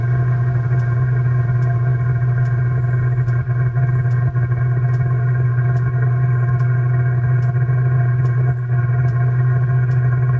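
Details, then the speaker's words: 2 kW Chinese diesel heater in a 1997 Mazda Bongo Friendee diesel, restarted after clearing an E-07 code by reseating the harness: steady low burner roar with a faint regular tick every 0.8 s, still slightly uneven after lighting early with excess fuel, settling toward a clean burn. "it did come on a little early there was a little too much fuel in there still let's see if it can correct itself"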